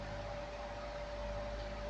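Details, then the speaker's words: Air Wizard Pro 20-inch floor fan on high speed: even rush of air with a thin, steady, unchanging motor whine on top; owner suspects the motor is undersized for the blade. "yeah this thing this thing blows really blows good air but you can hear that whine it's just doesn't go"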